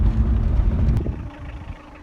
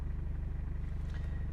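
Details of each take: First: 2000 Toyota Cresta 2L-TE diesel after replacing the injection pump and setting timing marks (lost power and knocked near pump, owner blames water in fuel): revs up and drops back smoothly to quiet idle, no knocking; sounds healthy. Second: 2000 Toyota Cresta 2L-TE diesel lost pulling power after water in fuel (owner's claim): quick, evenly spaced sharp metallic knocks from injection pump side at idle; injection pump knock.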